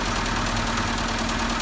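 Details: Rod knock at idle on a 2012 Renault Logan 2 with K7M engine: loud hard metallic knock under the engine note; the catalytic converter disintegrated, debris was drawn into the cylinders and spun the rod bearings.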